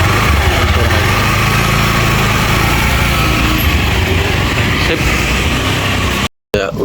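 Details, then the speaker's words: Honda Beat FI scooter after its CVT was disassembled, cleaned and refitted: steady, even run with a smoother exhaust note and no knocks or slipping; sounds back to normal, though the engine still needs a tune-up and service. "Suaranya melembut ya. Cuman harus di tune up ya. Harus di servis."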